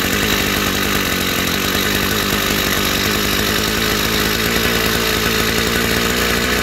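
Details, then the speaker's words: Chinese two-stroke petrol brush cutter before carburetor adjustment, throttle opened too far: instead of a slow idle burble it holds a fast, steady high-pitched buzz, an idle set too high. "Да, но нам же ж надо отрегулировать, чтобы всё теперь идеально было, потому что слишком много холостого у нас. Ээ я знаю, что дроссельная очень сильно открыто."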